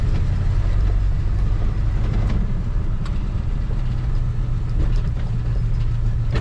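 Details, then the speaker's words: 1973 Chevy C20 pickup driving on a rough road after interior and turn-signal work: a few sharp, irregular bangs every second or two over bumps, a door banging, with doors pins or striker suspected, cause unknown. "it's pretty rough you can hear that door banging i don't know if that's door pins or the striker or what but something making a bang there"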